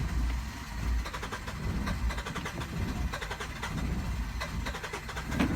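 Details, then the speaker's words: 2015 Hyundai Santa Fe cranking with an even rhythm but not starting, tachometer showing no rpm; intermittent hard start and no start. "you can see it's having difficult starting in the it's not working"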